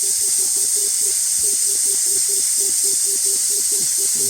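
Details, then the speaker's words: VW 01P/01M automatic transmission on/off solenoid bench-tested at 10.5 V with 65 psi air: steady hiss with a faint ticking buzz while energized. The solenoid intermittently fails to seal and leaks air when powered. "there we go there we go you can hear that leaking that's supplied the solenoid is on and you can hear it lea"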